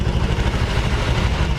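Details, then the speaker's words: Scooter suspected of a snapped CVT V-belt, before opening the CVT: low even putter at idle with no rattle, ticking or strange sounds; engine sounds normal. "Coba kita Nyalakan jadi toh ya mesin tidak ada masalah dalam segi suara tidak ada ngeletrek tidak ada suara"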